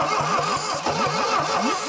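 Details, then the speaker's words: 1968 SAAB, abandoned decades in woods, start attempts: starter drags slowly and unevenly, about five labored compression strokes a second, never catches; low compression suspected, possibly stuck rings, cranking too slow. "there thank you you spinning over faster yeah I think that's I think if we could ever get it to where the compression was it was there and instantly it was hitting it again yeah right now it's just it's taking too long to get from compression to compression on the same cylinder"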